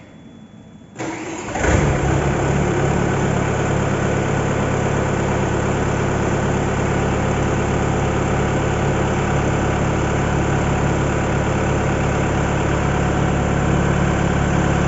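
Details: Yanmar engine with 14,000 hours, after repaired fuel pump, new injectors, repaired head with leaking head gasket and new thermostat, being run to watch for leaks: brief crank, fires promptly, settles into an even, steady idle with no misses or knocks.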